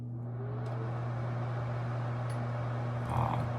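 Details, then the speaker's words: Bathroom exhaust fan after replacing its noisy motor and fan wheel: steady low even hum with soft airy whir, much quieter than before. Finding: normal quiet fan operation. "okay now for the Moment of Truth we're going to turn it on and see what it sounds like it should be a lot quieter I hope"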